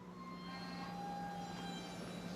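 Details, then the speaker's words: 2015 Jeep Grand Cherokee EcoDiesel after a fuel filter change, key turned to run without the brake to prime the filters: a faint steady electric whine over a low hum is the fuel pump priming, normal, and it stops by itself. "might make some funny [Music] noises it sounds really weird and then it'll stop"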